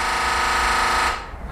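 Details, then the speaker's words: 2013 BMW 328i F30 3 Series: brief buzzing rattle from the engine bay, about a second then abrupt cutoff, heard when unlocking, locking or opening a door, not from the door lock actuator; Valvetronic servo motor rattle. "if you guys have a noise you hear a noise when you unlock or lock the car or when you open your door and that does not come from The Rocker trailer but comes from the engine compartment"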